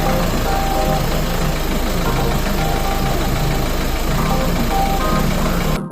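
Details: 1.6 HDi/TDCi diesel idling roughly around 1100 rpm with an uneven, lumpy knock, music underneath; misfire from a faulty injector, to be found with an injector leak test.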